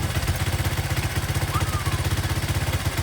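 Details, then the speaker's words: Honda ATC 200x, cylinder bored 0.25 over, stock pilot jet, on a temporary gas tank after carburetor tuning: steady single-cylinder thump with light valve ticking, no tank to mask it; smooth, even normal idle. "of course most people sound better because they have a gas tank mask that uh that ticking sound but mine still doesn't sound too bad does it"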